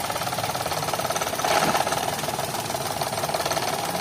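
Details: 2011 Toyota Vitz with code P0303 and blinking engine light: uneven idle with lumpy stumble three or four times a second; cylinder 3 misfire, caused by a swapped injector pulse wire at the connector, fixed by correcting wiring.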